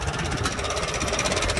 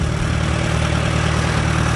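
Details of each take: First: Farmall antique tractor running after sitting; Sea Foam added to the tank to reach the carburetor bowl; owner suspects a leaking needle valve/seat dripping into the carb, kit on order. Even, steady beat with no misses; runs cleanly. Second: Antique Farmall tractor with carburetor trouble, fuel bowl just cleaned and Sea Foam being run through; owner says it is not a tank issue: steady low throbbing idle with slightly uneven beat, fuel delivery still seeming unsettled.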